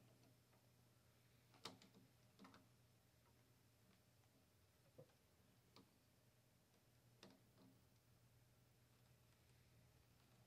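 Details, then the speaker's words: 1959 Philco Predicta Princess television during power supply and vertical deflection adjustment: faint, irregular sharp snaps over a steady low hum, heard as corona arcing inside the picture tube shell. High-voltage corona arcing. "I can hear the corona arcing inside of the put your tube shell"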